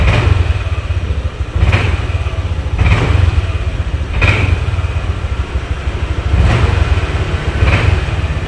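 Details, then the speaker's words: Honda Vario 150 scooter: normal idle, but each throttle blip stumbles and hesitates with delayed, misfiring response; cause found at a faulty spark plug cap. "Nah, ketika kita tarik gas, nah ini tuh jadi kayak delay gitu, guys. Nah, tuh jadi kayak ngeberbet banget gitu lah."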